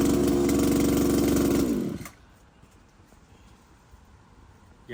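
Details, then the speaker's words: RedMax string trimmer after an engine swap: an even, high two-stroke drone for about two seconds, then shutoff; runs fine. "it runs so I'm going be using this at The Hideaway tomorrow"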